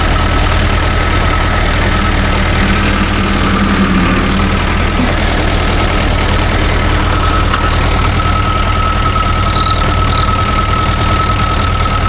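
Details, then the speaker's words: 1945/46 Allis Chalmers Model B tractor with magneto ignition, parked in a barn about 20 years, now driving. Steady, even low-pitched chug with no knocks or squeals, holding speed smoothly; runs well and all gears work. "Oh well, she goes alright for an 80-year-old machine. The engine sounds pretty good and all the gears work okay."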